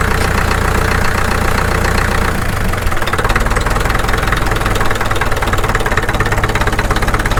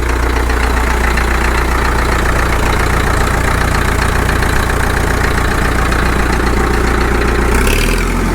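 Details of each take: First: Caterpillar D2 (#5J1113) diesel at low idle on first start after full pony motor and diesel rebuilds, 30 psi oil pressure: even clatter at steady low idle, firing on all four cylinders with no misses or stumbles, running smoothly. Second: Caterpillar D2 (#5J1113) diesel at low idle on first start after full pony motor and diesel rebuilds: low thumping about 220 a minute, slightly uneven with occasional stumbles, likely air bubbles still working out of the fuel, smoothing over time.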